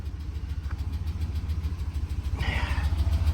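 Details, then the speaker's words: GMC Sierra 2500 with 454 V8, salvage-auction truck just started, low fuel, service engine soon light on, good oil pressure; rough uneven idle with a quick light tick about three a second, cause not pinned down. "That engine, that sounds more of like a, she is definitely not very happy."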